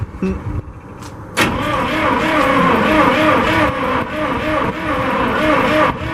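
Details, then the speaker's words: 1963 International 549 engine with two distributors, cranked on ether starting fluid only: starter churns in a steady rhythm of about three to four beats a second with brief catches; tries to start but won't keep running. "Alright, we're going to give it another good shot. It obviously tried to start."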